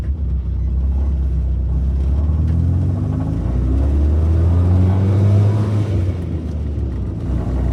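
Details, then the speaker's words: Toyota Corolla KE35 on test drive: low droning rumble rising and falling with road speed under the engine note; noise persists though earlier vibration is gone; cause unconfirmed. "H still there. That noise is still there. Annoying."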